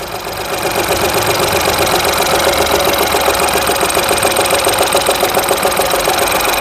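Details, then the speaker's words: Ford EcoSport EcoBoost 3-cylinder petrol with check engine light on: uneven, lumpy idle stumbling three or four times a second, whole car vibrating, exhaust pulsing; one cylinder strong, two weak; coil wiring checked fine, spark plugs next. "Check engine light ए रहा है पुरी गाड़ी vibrate कर रही है पुरी तरीके से silencer देख सकते हैं कैसे कर रहा है"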